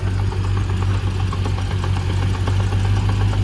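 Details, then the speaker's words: Manual Land Rover Discovery 1 at idle: steady dull, regular knock about three times a second resonating through the body; owner suspects the transmission, possibly flywheel/flex plate or a backed-out bolt. "it's coming from the transmission and I mean unless it's just like the flywheel like a flex plate or something just spinning or just a bump into a bolts backed itself out"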